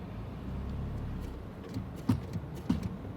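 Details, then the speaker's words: 2009 Ford Fusion after a front driver-side wheel bearing replacement, ABS light on: two dull low thumps, one each time the brake pedal is tapped; front brake thump. "hey Michael look my abs like Stallone and I notice every time I tap my foot on the brake it make it like a little of thumb noise look"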